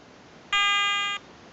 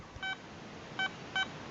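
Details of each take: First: Garrett ATX pulse induction metal detector at setup: a steady high electronic tone from the automatic frequency scan, which ends in three beeps when it finds a quiet operating frequency. Normal. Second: Garrett ATX pulse induction metal detector in motion mode, iron check button held over a horseshoe nail: short beeps, then choppy, buzzy grunting tone bursts; the detector is signalling an iron target.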